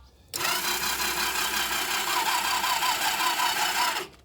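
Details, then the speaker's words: Quad with handbrake locked and key on, engine recently freed from slight sticking, CDI unit previously played with: starter spins evenly about four seconds but never fires; no-start, cause unconfirmed; it later starts and runs without smoke. "No, she won't. She's got stage fright."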